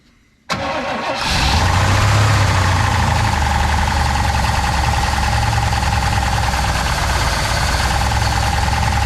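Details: 1966 Pontiac Catalina parked 20 years, no radiator, belts removed: starts and settles into fast, rough idle with rapid metallic rattle first taken for rod knock; apparently the torque converter weight hitting the flywheel cover.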